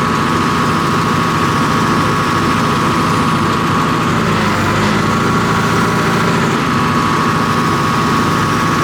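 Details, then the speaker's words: John Deere 245G excavator diesel after emissions delete, cold start after repairing the No. 3 injector that was dumping excess fuel and causing black smoke under load: smooth, even drone with steady whir, fuel knock gone, smoke cleared while working hydraulic functions. "So the engine's still cold, and I was pulling on the functions, completely cleared up. And then also, obviously, the sound's much better. It doesn't have that fuel knock."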